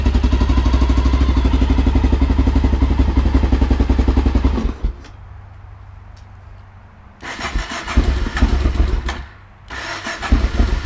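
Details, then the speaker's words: A 2000 Honda XR650L, on its first start after a TM40-6 carburetor install, at about 40-45°F: steady, fast starter churning of about four strokes a second, with pauses and no firing. It won't start because the fuel valve was off. "probably need some gas that might be a good thing to turn on the gas"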